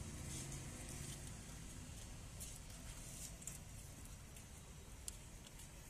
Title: Maruti Celerio front wheel bearing Problem